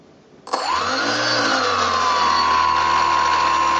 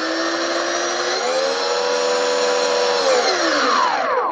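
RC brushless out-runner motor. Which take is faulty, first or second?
first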